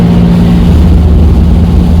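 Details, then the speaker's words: 1983 Chevy Camaro abandoned 15 years, at full throttle: deep engine drone drops in pitch and loses pull partway instead of climbing; fuel filter suspected plugging again with tank debris, under a quarter tank after last filter change. "It's the fuel filter's plugging up again, and we haven't even put a quarter tank of fuel through it since the last one."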